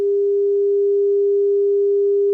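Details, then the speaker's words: Gallien-Krueger Backline 115 solid-state bass amp with no output: signal generator fed into the effects return, bypassing the preamp, master fully up. Loud, clean, steady test tone with no crackle or hum. Normal power amp output. "By jumping in here at the effects return, we've bypassed the entire preamp section and gone right to the power amp. And the implication of this would be that the power amp's fine."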